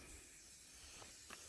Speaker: Airline is leaking, it's really annoying.